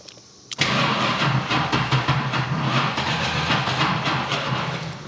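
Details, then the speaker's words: 1971 Plymouth Roadrunner, not driven in 35 years: catches after a short crank and settles into a rough, uneven, lazy idle. Hard starting is attributed to ignition timing set too far advanced; battery cables were getting hot and timing was turned down. "man I might have turned it up too high again now it seem happy I just had it way too advanced and everything just kind of fell apart all at one time still seems a little lazy"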